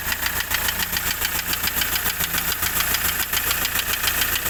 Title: i20 engine knocking